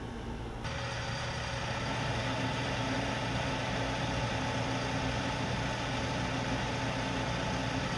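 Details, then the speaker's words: Lathe drive motor, previously running smoothly, suddenly hums without turning during lathe leveling: constant low electrical hum, no speed build-up; motor energised but stalled, to be removed for inspection or replaced. "the motor have been running so smooth just suddenly as you heard it it started humming and not turning"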